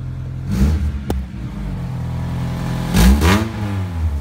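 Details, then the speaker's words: Vehicle idling then revved twice after the cat-back exhaust, which had come off behind the catalytic converter, was refitted: deep, even exhaust rumble rising cleanly and settling, with no rattles or leaks. Normal exhaust note. "Now that we got the vent exhaust back up in there again. Let's give her a test run here and see how she sounds, boys."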